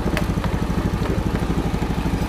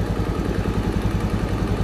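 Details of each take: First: 2014 Honda Beat FI, hard-starting, after scanner injection service setting injector value to 2: steady even putter about three beats a second, no hunting or misses, now starts easily without throttle; normal idle. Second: 2014 Honda Beat FI scooter, hard starting and using too much fuel, idle screw adjusted with scanner reading injector value three: slow, even low thumping, ticking over slower than normal; idle speed set too low; normal reading is two.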